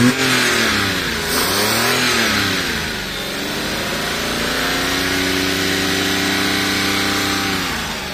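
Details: Car that stalled and would not restart, faults fixed, first start after repair, revved to about 3,000 rpm; petrol engine holding mid revs with smooth even tone, no misses or knocks, running healthy.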